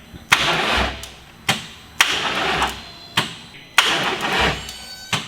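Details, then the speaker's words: Rebuilt VR6 swapped into 1984 VW Scirocco, first start attempt: labored, sluggish cranking, one heavy compression thump about every second, never catching; suspected starter problem, car failed to start after several attempts. "like that why what was that noise though it's probably the start yeah we got a problem"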